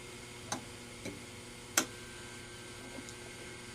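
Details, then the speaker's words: Standard Business Machines Magnescriber Deluxe model 160 wire recorder, most capacitors replaced, fast forward selected: sharp relay clicks over a faint hum with no motor spin-up; the relay acts but none of the motors receive power, so rewind and fast-forward fail. "okay put on fast forward okay hear that little click that's that's relay acting"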